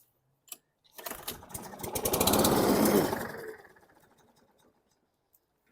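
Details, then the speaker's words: Toro Recycler push mower, bought as a runner: after a pull the engine catches and climbs for about two seconds, then runs down and dies; starts but won't keep running, would not restart. "just a quick quick run here in my front yard it stalled 20 feet in front of you and it wanted to start again but would not start"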